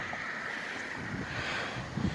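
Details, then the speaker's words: Green E Solutions 500 watt wind turbine on 25-foot pole with enlarged tail fin, in turbulent wind around 15–18 mph; steady high blade whistle over gusty wind rush, running normally. "The frame rate on the camera is just my cell phone camera, so it's making the blades look like they're not spinning, but if I shut up for a second, you can hear them whistling."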